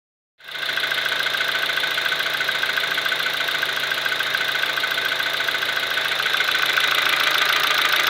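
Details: Kia Ceed with G4FG petrol engine knocking at steady idle: sharp, regular ticking knock about three beats a second.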